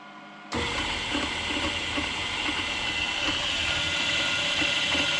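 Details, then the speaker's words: Grizzly G0748 mill after DC motor upgrade with new 50 mm and 37 mm belt pulleys: spindle switched on, running nice and quiet at 6,500 RPM on low range, smooth steady hiss, no knocking or grinding. "Nice and quiet. Right there. we got 6,500."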